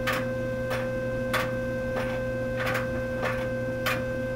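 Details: Dryer drum turning with a sharp clack about once every second or so over a steady motor hum, caused by a coin caught in one of the plastic paddles inside the drum; a separate high-pitched whine came from an uncleaned lint filter.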